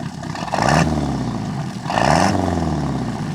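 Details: 1976 MerCruiser 120hp, after carburetor work (Sierra 18-7070 kit, fogged top end) for an acceleration dead spot, idle screws backed out another 3/4 turn, heard from behind at camera: revs twice and settles smoothly, even pulses, no stumble; runs clean, dead spot greatly diminished.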